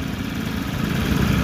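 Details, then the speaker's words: Honda Click 150 at steady idle with a low rattling knock deep in the engine, diagnosed as the connecting rod (another opinion: crankshaft); rod to be replaced and confirmed on teardown; bike still usable. "Patutunayan ko sa inyo na connecting rod yung problema na yan."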